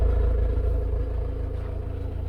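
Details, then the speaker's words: Car after O2 sensor replacement, idling warm after about 15 minutes, no warning light, no fault codes: low even idle rumble, smooth with no misses or knocks; engine running healthy. "sounding sweet"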